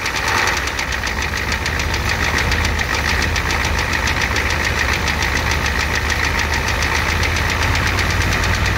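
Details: 1988 Ford F250 7.3L IDI diesel at idle with high pressure fuel line leak, white/grey exhaust smoke, smoke from oil dipstick, oil in add zone: sharp, regular knock on every cycle over steady idle; cause not pinned down.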